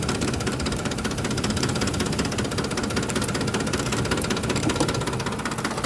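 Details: 2007 Ford F-150 5.4L 4x2 automatic, 119k miles, rough idle after deceleration: an uneven idle with an irregular knock about two or three a second, seeming to come from near the fan; cause unknown.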